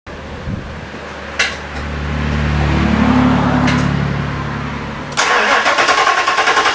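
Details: Fox Body V8 with new valve seals, cold before exhaust heats up, idles with a low rumble then a sharp, rapid puffing tick from an exhaust leak at the X-pipe to passenger-side header joint.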